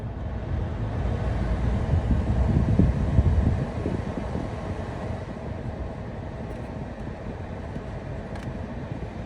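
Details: Jeep Compass: rapid even clicking/knocking burst from behind the dash, from the HVAC blend door actuator, found with a cracked gear missing teeth; fixed by replacing the actuator under the steering wheel.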